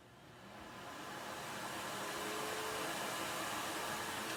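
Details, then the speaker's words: Electrolux central vacuum, hose plugged into wall outlet: steady rushing whoosh builds over two seconds then holds even, no rattles or surging; suction normal. "So you can hear it turned on. And we got suction."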